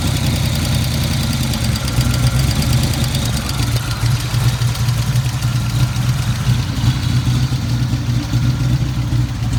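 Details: Ford Fox-body: low, uneven tapping under a rough idle carrying into revs; rod knock or lifters suspected, cause unclear.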